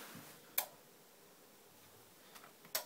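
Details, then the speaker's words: Surround sound receiver with suspected burned-out internals and a loose ground, fuses good; intermittent fault where the panel gave out with random lines, repeated clicking and possible sparks. Two sharp isolated clicks about two seconds apart, otherwise silent. "yesterday the whole panel just gave out and it was like random lines everywhere nothing really dictating anything clicking a lot in fact I thought I saw some Sparks"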